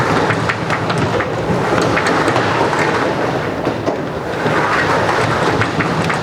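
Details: Roll-up garage door, previously squeaking and hard to move, after lubricating springs with white lithium spray: steady rolling rattle of metal slats, even travel, slight squeak only on starting and stopping.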